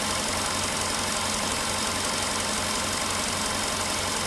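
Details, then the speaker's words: VW Polo Sedan, 99,329 km, idle after about 6 minutes from cold start, not fully warm: uneven tapping near two per second returns over shaking rough idle; knock cause unknown. "Вот сейчас опять начал стучать."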